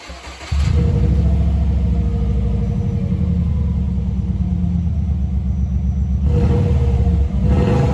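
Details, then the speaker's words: Subaru B4 started with the rotted, nearly holed muffler removed: catches after half a second, then a loud, deep, raspy open-pipe rumble with rev blips; owner says it doesn't sound bad straight-piped. "know that's actually pretty funny because that don't sound half too bad without the can on it at all so if for some reason this exhaust is just too quiet i might just take it back off and run it straight"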